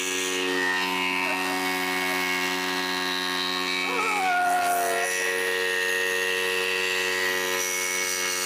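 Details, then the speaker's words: Homemade water pump driven by a bike engine with right-side impeller from scrap yard, running unloaded: loud busy buzzing with steady whine and clatter, very noisy, sounds rough and overworked. "பம்புல இருந்து பயங்கர sound வருதுங்க. அதனாலதான் ரன்னிங்ல இருக்கும் போது என்னால பேச முடியல."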